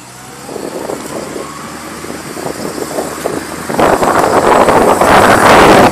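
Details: Car rolling: a rhythmic rasping swish, about three or four a second, tracks wheel rotation, a wheel rubbing noise.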